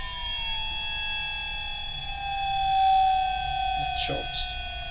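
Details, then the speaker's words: Standard 50 Hz induction motor on a variable-speed drive, stalled at high overspeed frequency, then taken back down: a steady high electric whine glides down in pitch until rotor reactance drops, torque rises and the motor accelerates back to synchronous speed. "Hear it slowly accelerating. Yep. And there it goes. That's the reactance in the rotor. It decreases, your torque increases and suddenly the motor accelerates back to synchronous speed"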